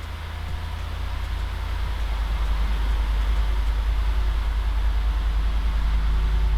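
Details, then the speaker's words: Wrecked Lexus RC-F under rebuild, idling in park right after its first start following teardown: deep, steady low rumble with an even pulse, no knocks, misses or rattles; healthy idle. "it works startup was good the car runs"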